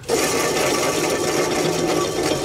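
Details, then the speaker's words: Husqvarna YTH18542 riding mower deck spindle spun by hand, deck removed: fast dry metallic rattle and felt vibration from worn-out bottom spindle bearings on one side, the source of the earlier squealing. "you hear that rattle the bearings are bad on that side oh yeah that's what was squealing right there you feel the vibration"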